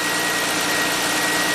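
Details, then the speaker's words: 2006 Ford Freestyle AWD no-crank case, running after starter relay jumped: steady, even idle hum with no knocks or misses; runs fine, busted vacuum leak noted, charging voltage normal. "It does. There's a busted, fix that vacuum leak for now. Seems to run fine."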